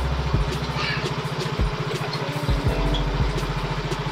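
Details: Yamaha X-Ride fuel-injected motorcycle after repair of a stall when jolted or taken off the stand on low fuel, likely from water in the fuel. Steady, even low putter at idle with no stumbles or dying out; healthy idle.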